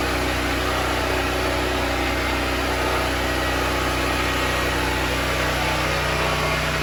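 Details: Predator 6500 W portable generator powering house circuits through an L14-30 twist-lock cord: a steady, even drone holding constant speed under load with no surging or misses, then a quick cutoff at shutdown. It runs healthy.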